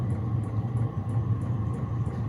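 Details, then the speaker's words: Diesel heater with a nearly full diesel tank, vented toward the garden, on start-up: a steady low combustion rumble with light, evenly spaced ticking as it lights and settles into a normal run; loud but producing heat, no exhaust smoke seen. "yeah as you can hear she's not quiet but I don't give a [ __ ] it even come with nearly full tank of diesel as well you know but there we have some nice heat"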